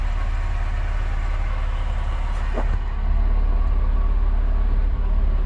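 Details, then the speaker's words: Alfa Romeo Spider engine first start after months unused, started via relay bypass: smooth steady idle, no knocks or rattles, no oil starvation; coolant possibly up to a liter low. "You hear how it's just so smooth, this engine. It hasn't started in months and months and months."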